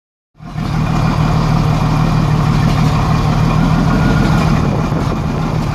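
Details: 1987 Jeep Cherokee Renix 4.0 at idle: uneven loping pulse, about four stumbles a second, one cylinder missing; traced to a sticking exhaust valve or bad lifter on cylinder 6, whose rocker moved less; loosening the rocker bolt smoothed it.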